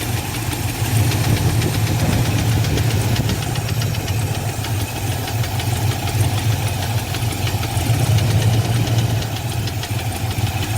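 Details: Fox-body Mustang convertible (LX converted to GT), sat over six years, Holley carb: steady idle with an uneven knock about three times a second, louder inside, gone around 1,500 rpm; oil pressure good but drops after driving, cause unknown.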